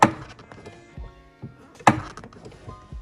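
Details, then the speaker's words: 2011 Mustang GT with Roush Phase 1 supercharger, after installing a Steeda clutch spring without the clutch housing perch/guide: the pedal is lighter, but two sharp hollow clunks about two seconds apart sound as the clutch engages; the guide needs to be ordered. "All right, so turns out that like perch thing, or like that guider on the actual clutch housing, is necessary, because I mean, it's way lighter, don't get me wrong, the clutch now, but listen to this once you engage the clutch."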